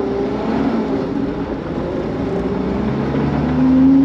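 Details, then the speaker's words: Mini-truck, still governed, accelerating in second gear: it pulls cleanly with revs rising smoothly and no bog, stumble or misfire, though it bogs on clutch takeoff unless revved. Normal acceleration. "this thing runs so smooth imagine like also the governor is just gone that would make my day"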